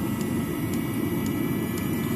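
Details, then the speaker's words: Webasto Thermo Top C heater wired to a simple switch, ramping up as the dosing pump speeds up to full power, circulating water and white vinegar: steady, even blower roar with no surging or popping, burning cleanly. "ça commence à accélérer on voit que la pompe d'use commence à accélérer également on va arriver à plein régime"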